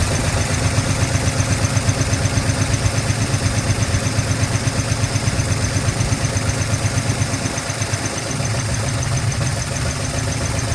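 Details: 1970 Dodge D100 383 big block, sat 30+ years: lumpy but steady idle with even low pulse, holding idle on its own; runs.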